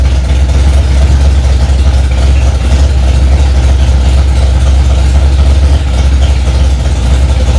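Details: Freshly rebuilt Ford 289 small-block V8 in a 1965 Mustang "Hack Job", first start after months of work: deep steady rumble holding raised idle without stumbling or knocking; normal fast idle.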